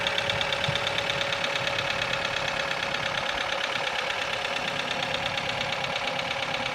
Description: Стук мотора КИА Сид. Цикличное клацание в верхней части мотора